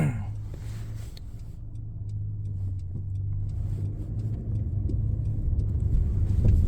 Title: 2015 Honda CRV Touring Loud/Humming Noise coming from the back